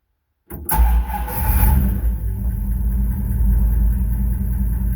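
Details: 1933 Plymouth coupe street rod, start after rewiring: brief crank, engine catches at once and settles into a steady, deep, even idle; healthy start.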